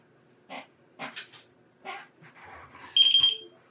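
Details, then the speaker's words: Datalogic Gryphon scanner after trigger button repair: a crisp, high single beep sounds cleanly on connection, which it wasn't doing before the repair; normal scanner beep. "so again so that's that and now hear it and it's ringing back as well which is exactly as it should do we weren't getting that before"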